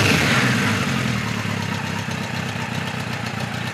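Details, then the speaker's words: 1973 Kawasaki Z1 900, 4-into-4 exhaust, new BR8E resistor plugs, warmed up: mostly steady idle with an occasional uneven beat, slight intermittent miss, owner suspects cylinder one or two. "typical yeah still here a little bit that I'm not too sure [Music] about [Music] sounds like it's coming from that side so it'll be one or two"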